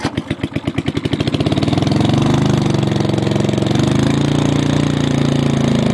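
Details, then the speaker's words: MTD 5hp rototiller first run after about 7-10 years idle, new spark plug, points and condenser, old gas; a few pulls catch into a loud, raw, slightly uneven single-cylinder bark, muffler rusted through, nearly straight-piped. "it is extremely loud as you ca"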